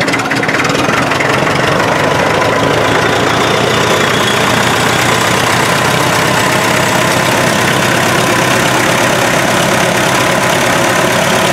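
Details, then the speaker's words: MD tractor diesel, about 40 years old with rebuilt engine (new rings, rod and main bearings, head work): steady clatter with uneven, lumpy beat; not firing on all cylinders, misfire cause unknown. "I'm having some trouble on the diesel side it's not wanting to run on all the cylinders I'm not sure why"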